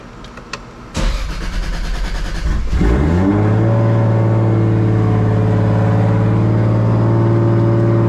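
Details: Toyota Supra after fuel system upgrade (triple pump hanger, relays), fuel pressure near 40 psi: brief crank, catches and flares, settles into smooth even idle; normal start.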